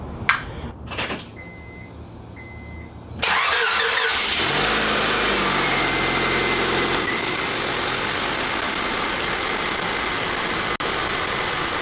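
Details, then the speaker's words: Car bought from a title pawn, after reassembly and a coolant refill with air trapped in the system. Chimes, then a start, and at operating temperature with the thermostat open and the upper hose hot it holds a steady, even idle. Normal idle. "all right so we got it up to temperature and it seems to be pretty stable"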